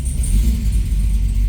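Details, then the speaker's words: Supercharged C6 Corvette on the lift, just started after build, fuel pressure about 52–56: deep smooth V8 rumble held at moderate revs with a faint high whine on top; pulls cleanly, sounds healthy. "there it goes here close it's not obnoxiously loud which is good"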